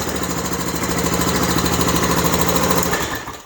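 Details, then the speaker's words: Honda TRX-250 Recon ATV right after starter motor replacement: quick cranking catches straight away into steady, even single-cylinder chug, then switched off; clean start, confirming the starter motor was the fault. "so that's what it was the starter motor all along"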